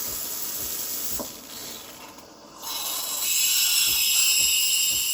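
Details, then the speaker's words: Breville Barista Express BES870BKS single-boiler espresso machine, steam wand: strong, steady high hiss that dips briefly then builds to full force; good healthy steam pressure. "So when you hear the pump pulsating, that's about full pressure, or that's steaming mode really."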